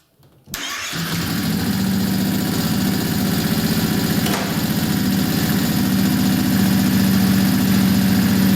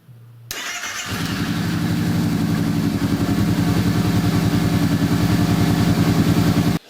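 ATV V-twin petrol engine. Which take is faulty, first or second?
first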